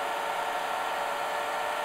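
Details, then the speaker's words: IBM DPS-2000BD server power supply at 14.6 V feeding several chargers totalling about 120–130 A: only a steady rushing fan whoosh at high speed, no hiss or crackle under heavy load; supply stays cool and healthy. "but there's no hissing sound from power supply okay all chargers are now working at the maximum power they can get with 14.6 volt input"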